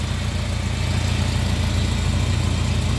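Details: 2002 Suzuki Katana GX with the bonnet open, engine bay shown, before the throttle is blipped. Low, even idle thrum with a steady beat and no misses, knocks or ticks; the engine still sounds good and is idling normally.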